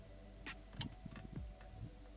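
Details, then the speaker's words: VW Mk2 GTI with a 07K 5-cylinder swap, key-on power check during wiring: a few faint clicks and brief whirs in a quiet background as the electronic throttle body is powered and cycles. Throttle body actuating at key-on. "we're going to turn the key and make sure that the throttle body makes noise because then if the throttle body makes noise we know that we have power"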